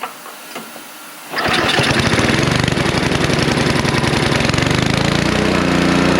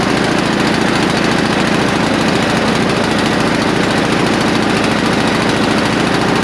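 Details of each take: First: Snow blower after a carburetor cleaning, cold and not yet adjusted: catches after about 1.5 seconds and settles into a steady, even run; later noted to be hunting. Normal start and run. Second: Neglected non-running snow blower, only the spark plug cleaned and fuel put into the intake: loud single-cylinder engine runs but its speed rises and sags unevenly, hunting; surging idle from a dirty carburetor that needs cleaning.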